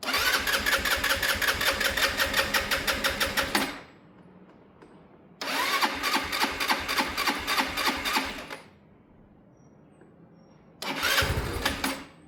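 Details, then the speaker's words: Sinnis Harrier motorcycle, brand new carb, new fuel pump suction line, boosted battery: catches and runs rough a few seconds then dies, three times; won't take revs on startup, hard starting, cause not confirmed. "This bike, no matter what we do, that's a brand new carb, it just doesn't like revs on startup."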